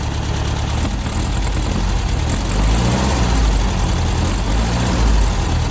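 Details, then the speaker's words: VW Beetle air-cooled engine, warmed up, before timing and carb tuning: rumbling idle, then a sag as throttle opens before revs slowly climb; flat spot hesitation on acceleration, cause being hunted. "you can hear there's a bit of a flat spot so that's what happens when as soon as you hit the gas basically the engine stumbles for a little bit before it picks up"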